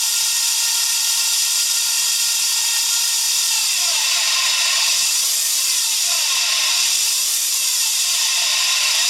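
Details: Daihatsu Hijet S321V alternator noise: loud, high-pitched whirring whine with shifting pitch sweeps and almost no low end, pointing to a noisy alternator.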